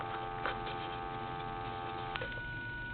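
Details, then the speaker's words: Crosley 302 wall telephone: a steady dial tone drops out abruptly with a click and a different tone follows, as the dial tone comes and goes. Intermittent dial tone from a faulty hook switch. "I'm going to turn it over and there's a switch here that basically is bad see I can you can probably hear that dial tone"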